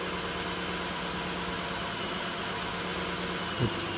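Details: 2010 Nissan Murano Z51, 87,000 on the clock, warming up: quiet even idle hum, no misses or knocks; original iridium plugs unchanged.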